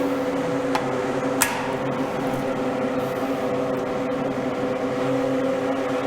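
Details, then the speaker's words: Inexpensive duct fan on a homemade test stand with ventilation grille fitted: steady low motor hum, no added whistle, buzz or hum from the grille, which slightly muffles the motor sound; normal running. "Я слышу, что при установке решетки дополнительных звуков не добавляется, ничего не свистит, не гудит, не жужжит."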